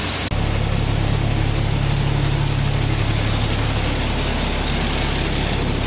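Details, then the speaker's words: Kenworth C500 heavy diesel after cleaning metal shavings out following a turbo ingestion; steady, even idle with deep low rumble, no rattles or whistles, sounds normal minus the exhaust. "It's a Sounds good. Minus the exhaust."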